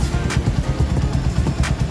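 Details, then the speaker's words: Honda Mega Pro Primus 2010 single-cylinder after repair of repeatedly bent valves caused by worn cam chain, tensioner and lower cam sprocket: steady, low idle with an even beat and no top-end ticking or rattle; normal idle. "mesinnya udah halus ya, mesinnya udah oke, mesinnya udah oke, dan mesinnya sudah untuk bisa buat riding lagi,"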